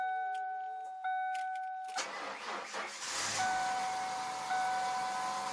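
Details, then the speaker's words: 1996 Ford Mustang, first start of the season after winter storage (antifreeze found in the oil, coolant low): after warning chimes it cranks briefly, fires and runs evenly with no knocking or ticking, oil pressure rising; normal cold start. "so now it just started up and leave it leave it running now till we get the total motor comes up to engine temperature"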